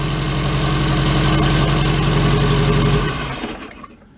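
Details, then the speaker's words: 2008 Mag XT Chinese work truck with a dead miss: lumpy throbbing chug for three seconds then shuts off, running on only the two middle cylinders; valves and cam timing checked okay, coil suspected. "I don't know if it's going to start or not it just has the two cylinder middle cylinders to run on but let's see what we get"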